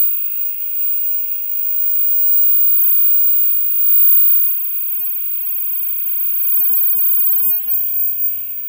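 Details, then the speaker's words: Old Semp Toshiba CRT TV under repair: thin, steady, very high-pitched whine with fainter mid hiss from the flyback transformer, which is noisy; no visible arcing with lights off; best replaced when it fails; screen voltage seems low. "Mas eu acho que o flyback mesmo que tá ruidoso interessante dar uma olhada com a Lisa apagada"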